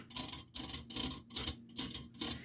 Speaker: now these here are the protectors from whenever you're on metal so like if i put this just through regular metal if you listen to it you'll hear some grinding